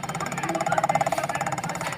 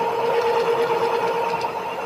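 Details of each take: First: Electric scooter hub motor while the wheel spins: rough, pulsing buzz repeating many times a second; testing shows no signal on the yellow wire, so a Hall sensor is faulty. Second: Electric scooter hub motor after replacing a faulty hall sensor (41F): clean steady whine winding down smoothly as the wheel coasts, no grinding or clicking; motor runs fine.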